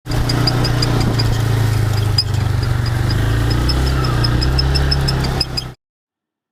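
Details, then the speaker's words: 2004 Bombardier Outlander 330 2x4 ATV, 3000 miles: sharp high chirp about four times a second over a low engine rumble, following shaft rotation, from a worn rear driveshaft U-joint. "as you can hear we got a squeak in the rear end there that we're going to fix it's the U joint on the drive shaft"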